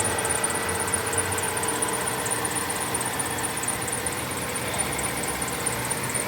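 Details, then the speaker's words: 2005 Kia Sedona, warmed up, idling with AC off: sharp high chirp about four times a second over steady idle; owner first blames the belt, cause unconfirmed. "The squeaking is due to the squeaking is due to the belt."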